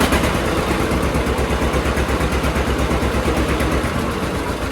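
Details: John Deere D two-cylinder tractor idling after both Autolite plugs were cleaned of black deposits and re-gapped wider, toward the 0.030 in factory spec: even putt-putt of about three beats per second, no misses or backfires. Normal idle.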